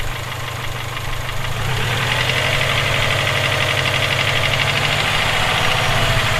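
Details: Subaru EJ257 engine idling: even sharp knock about four times a second over the engine note; owner suspects rod knock, not confirmed.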